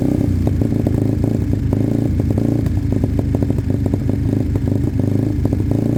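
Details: Sinnis Cruisestar with a new aftermarket exhaust, cold idle on choke: a sharp, irregular ticking puff over the thump, as the pipe is loose and not sealed at the head despite shims.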